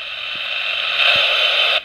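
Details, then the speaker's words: 1976 Poppy FS-802 AM walkie-talkie, likely unused for a long time: hissy static with scratchy crackles and a sudden drop-out as the on/off switch is worked; dirty switch contacts. "and of course you know this radio not being probably used for a fair amount of time had the usual uh crackly uh on off problem as you can"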